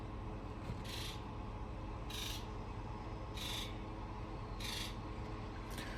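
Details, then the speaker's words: Ford F550 7.3L Powerstroke diesel with newly installed injectors: injector buzz test, steady crisp buzz bursts about once a second, each injector in turn over a low hum; all injectors sound healthy. "I don't know if you guys could hear that but they all sounded really really good"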